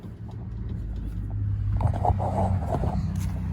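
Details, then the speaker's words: 1980 Chevrolet C30 square body, engine idling while the steering wheel is worked: a few dull clunks from play in the steering linkage, also rattling over bumps; owner suspects the Pitman arm. "If you look, it's kind of funny because when you're going down the road, you can hear that thing rattling every time you hit a bump."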